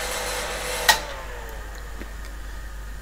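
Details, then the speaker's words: PDP-11/34A computer power-up after repair and reassembly, with fan speed controller: switch click, then the fan rush drops lower and quieter; cooling fans running normally at reduced speed. "well hopefully you can hear that the speed control is working you can make a huge difference to the amount of noise these fans make by just slowing them down very slightly"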